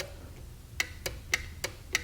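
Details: Chevrolet Corvair windshield washer pump on the bench, powered by an M12 battery: solenoid pulls the plunger in with sharp, consistent single clicks about every third of a second, working properly.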